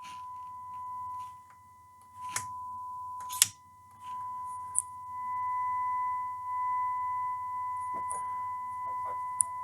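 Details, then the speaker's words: Vintage Siera 5521 / Philips 22RH521 amplifier after left channel output transistor repair: steady high test tone cuts out and returns with crackles and pops as the balance knob moves; dirty, scratchy balance pot needing cleaning. "Yeah, it's all so scratchy. I really need to clean these controls here."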